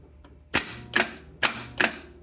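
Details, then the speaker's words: Rebuilt Delco 10MT Chevy starter bench-tested with new solenoid kit and Bendix, charger on the S terminal: four sharp, crisp clicks about 0.4 s apart with no motor spin; solenoid throws the drive forward cleanly, as it should. "So that's doing what it's supposed to."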